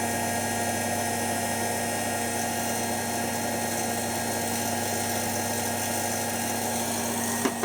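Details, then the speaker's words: Washing machine on program F, before the Zanussi XC: steady motor hum with fizzy crackling hiss while drum turns, motor brush arcing, seemingly less bad now; brush length to be checked. "Definitely some arcing going on though. You hear it? Thinking it's not as bad now, but I'm going to check the brush length."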